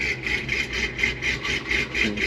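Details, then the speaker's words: 2-wheel-drive vehicle with full long-tube headers, Y-pipe into bone-stock exhaust, stage 4 BTR cam and valve springs, built transmission; uneven loping idle surging about four times a second over deep exhaust burble; lopey cammed idle. "We got full long tubes, Y-pipe into a bone stock exhaust. It was just too darn loud without it. But a stage 4 BTR cam, valve springs, everything else."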